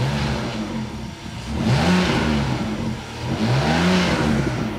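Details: BMW E60 revved with a component disconnected, after a connected rev had produced a vibration that sounds like an exhaust leak but is not one: two clean blips rising and falling smoothly with no buzzing or flutter; normal revving.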